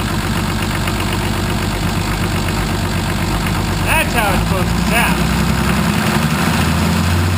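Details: 1980 International Harvester Travelall with Nissan 33SD turbo diesel, after oil, fuel and air filter service and bleeding air from the fuel system: steady, even idle with a low rumble and no misses or knocks.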